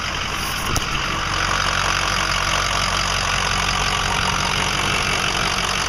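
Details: 2005 Ford 6.0L Powerstroke diesel, 80–100 miles after reman injectors, new fuel pump, filters and oil: rough idle with an uneven, clattery knock about four a second through harsh rattle, getting worse; owner suspects harness, FICM or injectors.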